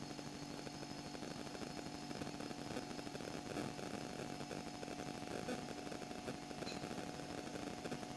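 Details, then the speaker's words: Refrigerator compressor after a capillary clog during freon charging was cleared; the filter is warm again and the system is flowing, with the reading now at 6. Quiet, steady hum with a faint even buzz, no rattles or labouring; normal running. "Jadi ini sudah lancar lagi. Saya akan tes lagi ini apakah masih mampet lagi. Karena ini anget sudah enam ini 6u. Suara kompresor seperti ini nih."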